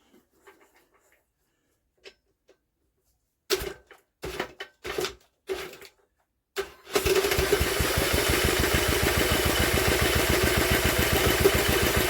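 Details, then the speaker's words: Old Villiers engine on an Atom, cranked after clunks of handling: steady even churn with no firing pop. Strong spark, good compression and no fuel leak; owner wonders about timing and whether it is drawing up petrol. "I think she's certainly got good compression and there's no leak on the fuel system that's a big bonus that is a huge bonus but why"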